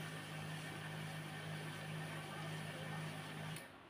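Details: HP LaserJet P1102 that clacked on startup now powers on with a smooth, even motor whir for a few seconds and no clacking; starts up quietly and normally.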